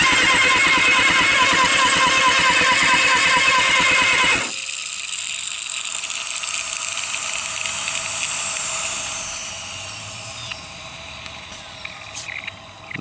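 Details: Kawasaki Ninja ZX6 with new spark plugs, cleaned carburetor, good battery, fresh gas, in neutral: starter spins the engine evenly about three turns a second for four seconds with no firing; cranks but won't start.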